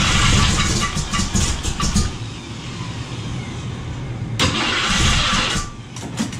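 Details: Summit 302 V8 crate engine, built by ATK, first start in a 1967 Mustang still on the lift; bursts of cranking, catches briefly, stumbles and runs rough; hard start, timing suspected.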